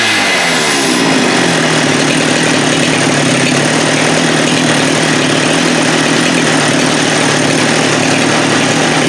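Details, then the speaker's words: Husqvarna 394 chainsaw with HyWay Titanikel 58mm big bore pop-up cylinder (395 project), aftermarket carb replacing OEM, cold day; held wide open with no load at about 12,100 rpm (was 10,500-10,900), steady high scream, no bogging or misfire: normal high-rpm run. "Well, I think that proves that it was the carb. We got the 12.1. So that's a 2,000 RPM increase."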